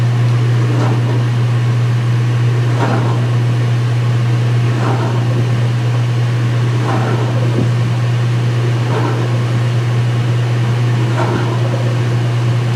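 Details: Speed Queen washer, front panels off, white bed sheets, high-speed spin drain: steady spin hum with a brief pump surge about every two seconds, wattage rising each time as pump takes load; normal.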